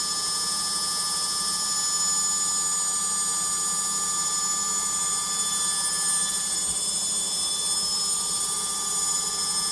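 A loud, steady high-pitched roar and whine holds through the spin with no change in pitch; the spin is abnormally noisy.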